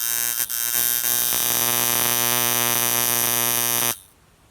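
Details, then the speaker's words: Camber Custom coil tattoo machine with short coils run at about 11–11.5 volts, above the roughly 9.5-volt limit: loud harsh buzz with a rattling edge as the front spring flutters; excess voltage would heat and could burn the coils. "it started to sound a little bit crap it started to reverberate a bit so the spring sort of bouncing around a little bit on itself so it's the spring itself is flattering"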